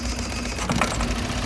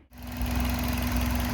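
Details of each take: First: 2003 Toyota Runx 1NZ petrol four-cylinder with cylinders 2 and 3 disabled: heavy vibrating rumble with hesitation on rev, a severe two-cylinder misfire. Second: 2003 Toyota Runx 1NZ petrol four-cylinder idling smoothly and evenly, all cylinders firing in order 1-3-2-4, with no misfire.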